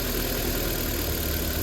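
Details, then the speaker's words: Chevy (Geo) Metro after throttle position sensor replacement: steady but lumpy, uneven idle with a dull labouring beat, sounding flooded; rough running persists after the new sensor, cause unconfirmed. "yep still doing it see it sounds like it's being flooded does it not sound like that sounds like it's being flooded"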